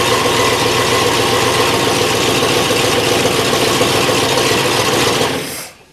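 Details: 1963 Oldsmobile V8 freshly reassembled, first cold run in the shop before timing is set: loud running at fast idle with an uneven, stumbling beat before shutting off, a dead miss.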